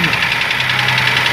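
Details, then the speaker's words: Ford Ka 3-cylinder idling with low oil pressure on the gauge: fast dry ticking from the top of the engine, valvetrain running dry from oil starvation; oil pump suspected, and a frayed belt was found inside after removing the oil pan. "Tá um barulho aqui horrível. Um barulho feio, tá vendo, galera? Trabalhando seco aqui a parte de cima."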